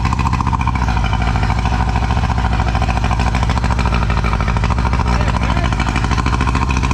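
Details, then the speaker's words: Old two-stroke outboard on a tinny, unrun for about eight years, running in neutral: fast, even two-stroke buzz at steady pace, no stumbling or rattles; normal running. "Oh, and it just tried to run. Get out. There we go. Oh. Uh, this is not a stitch up. That thing literally hasn't run in I reckon at least 8 years."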